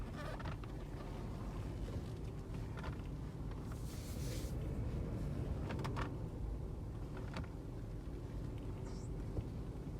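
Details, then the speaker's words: Lexus: sharp, irregular clicks over a low rumble when turning the steering wheel, usually turning left; caused by an improperly installed GPS anti-theft unit rubbing in the steering column. "usually makes a clicking noise when I when I turn left"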